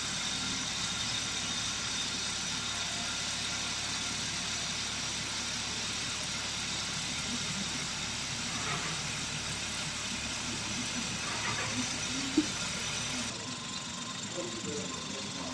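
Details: Kia Stonic 1.0 T-GDI petrol engine idling smoothly and evenly, no squeal, whine or rumble from the belt drive; worn AC compressor bearing was the earlier noise source, also new water pump and belt kit.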